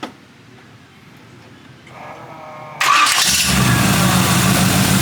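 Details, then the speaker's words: 1940 Ford Tudor with rebuilt Turbo 350 automatic and new 2200 stall torque converter, after adjusting the carburetor fuel bowl float: quiet, then catches at about three seconds and settles into steady even run; normal engine start. "pretty good it runs great shifts amazing"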